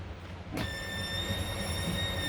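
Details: Rapido 886F motorhome rear queen bed electric lift on 12 volt, bed raising to enlarge the garage: steady high electric motor whine starting abruptly at one pitch.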